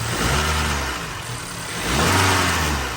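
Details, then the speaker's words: 2017 Honda Accord direct-injection engine revved twice: buzzy rattle swelling with each rev, fuel line vibrating every time it is gassed, from a bad mechanical high pressure fuel pump. "So the line right here is making that vibration. It's like every time you gas it. So the high pressure fuel pump is bad."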